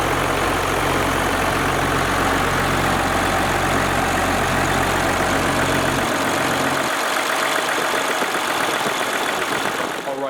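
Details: First-gen 12-valve Cummins diesel after valve lash adjustment, valve covers off: steady, even idle with light uniform valve patter and no knocking, then winds down; normal idle, valves much quieter than before.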